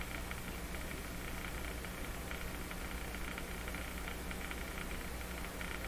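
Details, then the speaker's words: Electrohome Cosmic tube radio after replacing the final three capacitors, mains supply about 109 V: constant hiss and faint low hum instead of programme; owner suspects bias building up and AVC voltage gone wild; unwanted noise in output. "would strike me that a bias is building up in the radio and that's what's quieting the radio avc voltage gone wild huh"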